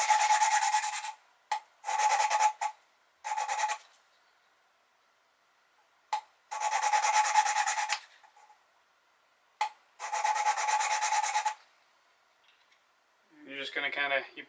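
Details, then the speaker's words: Valve lapping during a 1973 Triumph TR6 cylinder head rebuild, after new valve guides were pressed in: short bursts of dry hand rasping as the suction-cup tool turns the valve against its seat, the sound changing as the lapping progresses. "pull up and down just to kind of reset the Lube and you can hear as you go it kind of the sound changes as it does its thing"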